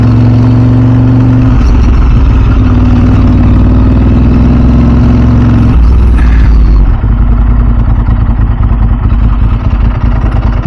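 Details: 2000 Ducati 996 SPS V-twin, freshly fully serviced, riding at low speed near a bridge: a deep, even burble, steady and clean with no knocks or rattles, a healthy exhaust note.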